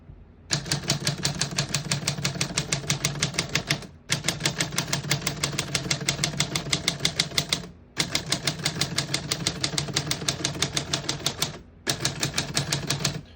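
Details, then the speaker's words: 1946 Smith-Corona Clipper portable typewriter, black ribbon, single line spacing: crisp even keystrokes at about three a second, brief pauses between lines. Working properly. "Once you hear the bell, you're at the end of the margin. You hit the line space, get you back to the beginning, and skips 1 or 2 spaces."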